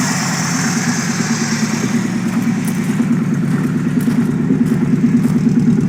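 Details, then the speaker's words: Keihin CV motorcycle carbs swapped onto a Chevette after resealing carbs that had sat tilted, with vacuum leaks: dead cold start, steady slightly lumpy, wobbly idle with an even low beat and no knocking, settling close to target with acceptable AFRs. "Dead cold start. No way. That's running way better. Oh, there we go. Starting to read. She's a little wobbly, but pretty dang close to where I want it to be for a dead cold start."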